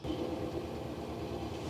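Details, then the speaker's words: Mercedes Sprinter diesel van at -7°F after a winter storm, dead battery, after cycling the glow plugs: fast, even starter churn that never catches; a cold diesel cranking without firing, repeated attempts. "it didn't work. Try it again. Cranking, didn't go."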